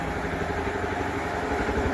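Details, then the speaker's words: Lister single-cylinder diesel newly bolted onto a concrete mixer frame: steady, even low thump at idle with no knocks or misses over the mixer; starts and runs nicely. "So there's a concrete mixer and Corneille started it and it's running."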